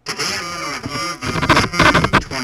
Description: When the Sharper Image Bluetooth TV Headphones go to sleep, it sometimes causes an issue with the audio. The sound is distorted and makes it impossible to use the headphones.